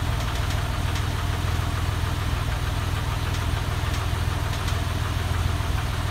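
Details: 996 engine at idle: low steady idle with a fast, loose ticking knock at roughly three per second. Abnormal internal noise of unclear origin.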